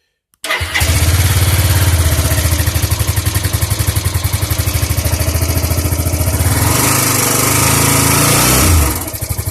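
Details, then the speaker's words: Suzuki GZ250 single after carburettor cleaning, started on full choke: thumps into a lumpy idle, then tries to climb in revs with a hesitant stumble, better than before when it would not rev; noisy valves still need adjusting; hesitant revving. "Crazy, it's actually trying to rev now. It didn't rev at all before, really."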